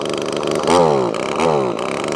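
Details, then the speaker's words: Echo ES2400 two-stroke leaf blower, replacement carb's high-speed mixture screw turned in to restrict fuel: high-pitched buzz surging and sagging, barely wanting to run; deliberately lean running. "I'm going to screw this this one in which will make it run like an absolute Pig and that's restricting fuel let's turn it on Mick now listen it doesn't want to run at all"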